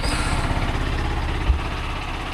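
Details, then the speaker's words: Yamaha MT-15 in neutral, cold-started after sitting unused for one month: a steady, even low thump at idle with no misses, knocks or rattles; the engine starts and idles cleanly. "After one month एकदम confidently start झालेली आहे आपली bike"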